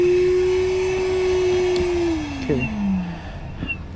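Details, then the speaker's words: Battery-powered motor clearing a heavily clogged AC condensate drain line: steady whine holds, then sags and drops sharply in pitch as the battery dies. "Battery's dying. You can hear it."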